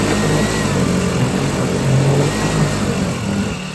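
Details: Cheap China-made 4-stroke outboard during its water test and break-in, run after tightening fittings; steady, even putter with a slight wobble in pace, no knocks or rattles, running smoothly, normal running.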